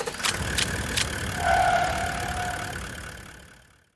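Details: HJ47 diesel with only one or two of six 8.5-volt glow plugs still working; the lithium battery or combustion temperature is suspected of killing the plugs. Uneven cranking at three to four beats a second, with one cylinder trying to fire; no start.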